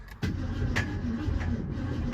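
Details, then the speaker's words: 1966 Ford Mustang, after sitting 16 years under a carport, cranked in neutral before any fuel or points work: slow cranking drone with heavy metallic clanks about every half second; clanging inside the engine, cause unknown, to be investigated. "Oh, we do get action in neutral, but we've got some clanging around in the motor, it sounds like."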